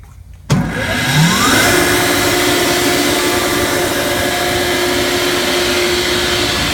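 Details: Ingersoll Rand SSR-EP30SE 30 hp rotary screw air compressor on 460 V three-phase, switched on to show it works: the motor spins up with a tone rising for about a second, then a steady, even hum and whine; normal running.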